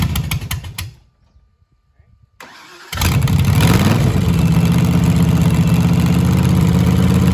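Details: Cobra freshly built engine, second start for cam break-in completion, outside with laptop connected: short crank, pause, then catches into strong steady even lope, no knocks or misses; normal start and idle.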